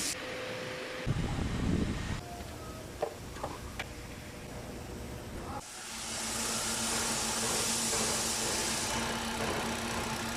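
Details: 2021 Hyundai Accent moving: a steady low hum under road hiss, suspected to come from the transmission; cause not confirmed.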